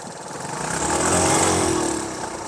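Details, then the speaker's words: Land speed sidecar motorcycle with CDI, different carburetor fitted: engine revs on throttle then stumbles, skips and sags instead of pulling; bogging, ignition problem suspected, valves questioned, not confirmed. "See, it's just dying right there. Like you give it throttle and it just It almost sounds like it might be an ignition problem. It sounds ignitiony now."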